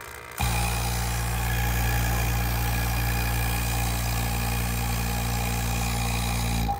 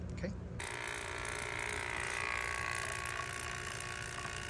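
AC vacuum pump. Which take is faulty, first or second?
first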